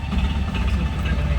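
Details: Tata Ace Gold BS6 diesel after no-start with DEF and check engine lamps lit, DEF tank filled and level sensor checked: deep, even idle with steady low rumble, no misses or knocks; running normally.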